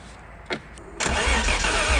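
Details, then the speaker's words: 1991 Ford Scorpio 2.9 V6 Cologne, long-stored, gasoline poured in: starter whirs, short ragged burst of firing fading back to cranking; fires only on poured fuel, no fuel reaching engine, fuel starvation. "okay so we got at least something uh but yeah that tells me that uh we don't have any fuel going into the engine"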